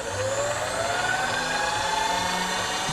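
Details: Precision Matthews PM-25MV benchtop mill with an add-on X-axis power feed on rapid traverse: a clean motor whine climbing smoothly in pitch as the table speeds up, with no knocks or grinding. Normal operation.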